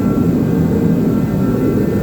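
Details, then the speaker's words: 1960 Chevrolet El Camino first start attempt after brakes bled: starter cranks steadily but engine never fires, no spark despite power at coil; rotor burnt and green wire needs 12 volts while cranking. "so now that the brakes are bled I went to go crank it over to try it and we've got no spark"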